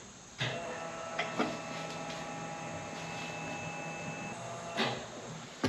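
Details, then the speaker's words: 1989 Fox Body Mustang, Aeromotive 340 lph electric fuel pump with adjustable regulator set for 55 psi, tank filled first time in 20+ years: thin steady hum with faint whine, zero psi; suspected too little fuel in tank. "all right zero PSI it can mean one of two things there's just not enough fuel in the tank still"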